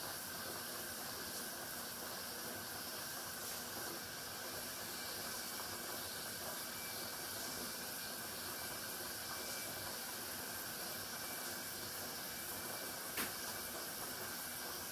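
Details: Pressure canner processing garden tomato sauce: steady steam hiss with a faint thin whistle as pressure builds, before the pressure regulator begins to rock; normal venting.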